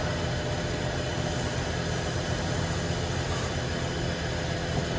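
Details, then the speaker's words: 1960 Corvette, first start in over 20 years during restoration, in neutral; steady starter churning that never catches, crank no start, points suspected not firing but later found working. "Probably not firing. The point's probably not working."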